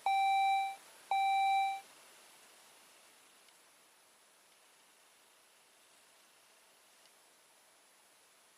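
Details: 2004 Saab 9-3 with 175,000 miles during a steering lock / immobilizer bypass, cluster showing "ECU not programmed" and "time for service": two even, mid-pitched chimes each under a second with a short gap; a cluster warning chime, cause not pinned down.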